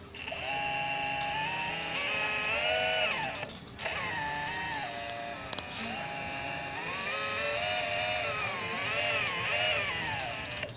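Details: Avionics 1250 kV brushless motor on a DYS BLHeli 40 A ESC: stacked whining tones rising and falling with throttle under a rough grating edge; absent with a HobbyKing 30 A ESC on the same motor, suspected desynchronization.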